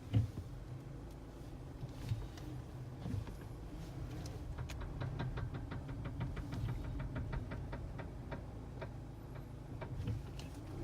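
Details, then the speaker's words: 2011–2014 Hyundai Sonata/Kia Optima while driving: a quiet run with a clear train of light clicks that speeds up and slows with the wheels. Suspected bad CV axle, not confirmed. "That right there. Sounds like a bad CV axle to me."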